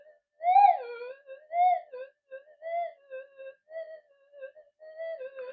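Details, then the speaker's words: Modified Minelab SD2100 metal detector with variable gain, under repair: threshold warbles and chirps in irregular bursts, noise rising as coil is turned toward the camera; interference pickup worsened by the dual-coil design. "actually just pointing the uh the camera at the coil has actually increased the noise which I've heard come up as I turn the uh thing around"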